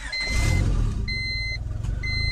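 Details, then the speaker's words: Engine on E85 with Skunk2 Pro intake manifold, the 70mm throttle body refitted in place of the stock one that idled high. It catches and drops quickly to a low, steady idle, with a dash chime beeping over it: high idle fixed, normal idle. "notice how now it drops down really fast"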